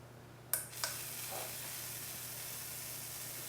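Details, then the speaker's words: Slayer exciter Tesla coil with a bigger NPN bipolar power transistor: a couple of sharp snaps, then a steady high corona hiss over mains hum while frying away at the top; the clip jumped off. "and we're frying away up at the top here it's magic and the clip jumped off"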